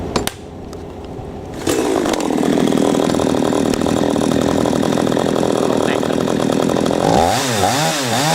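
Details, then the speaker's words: P1PE P6220C two-stroke chainsaw after turning the idle speed screw in half a turn to stop it stalling when set down: steady, even idle with no sag or stall, blips cleanly; stalling cured, idle now normal. "again cured the problem of the chainsaw stalling out"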